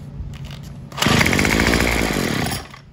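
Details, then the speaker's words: Craftsman WS210 trimmer after a carburetor replacement, with the bulb and diaphragm parts swapped onto the new carb. It picks up from a rough idle but flattens and drops back within two seconds, never reaching full revs; it now also won't idle. Cause unknown. "we've got the weed eater running except it won't throttle all the way up so I'm not sure what's going on with that"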